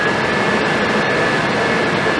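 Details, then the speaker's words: Suburban RV furnace after replacing the fan motor and control board, bench-tested on the truck on onboard propane with thermostat wires jumped: steady even blower roar with burner lit, faint constant hum; smells and sounds good, normal operation. "well I'm going to call that a success folks she's sitting there on the truck burning and smells good sounds good and is good"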